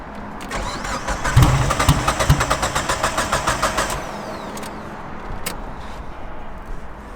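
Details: Mitsubishi Evo: starter churns the engine over steadily for about three seconds with no firing at all, then quiet; cranks but won't start, a recurring problem, owners suspect the fuel system, not the battery. Unconfirmed.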